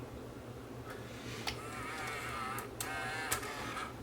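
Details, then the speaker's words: Tascam DA-P1 portable DAT recorder with a tape inserted: a faint thin whine and soft clicks as the motor strains against a stuck head drum that won't turn. It also sounds like a belt problem. It may be unsticks or may be dead. "Okay so the Head drum is stuck on this one it won't turn whether it's going to be unstickable or whether it's just shot"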